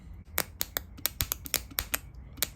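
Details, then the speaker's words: Bosch fuel pump (044 or 070) for Toyota Hilux LN106 L67 supercharged conversion, sat dry two years and gummed up, fed 18 volts from a battery; quiet irregular dry clicks, no motor whir, still not breaking free; seized fuel pump. "well it's more vigorously trying but it's not not breaking free"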